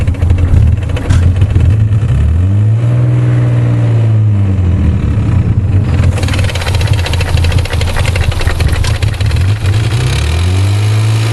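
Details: 1991 Nissan 300ZX idling and blipping throttle: light, quick rhythmic ticking over the engine, unlike the owner's brother's 300ZX; origin unknown, owner considers it abnormal.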